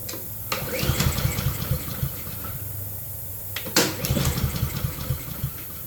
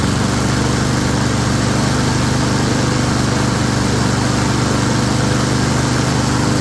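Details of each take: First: Honda self-propelled mower, fresh gasoline just added, fuel turned on: two recoil pulls, quick chuffs that die without firing. Crank but no start; carburetor needs doing. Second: Honda self-propelled mower: single-cylinder engine running steadily at even speed, no surging or misses; smoky, possibly overfilled oil or oil in muffler from tipping. Normal running.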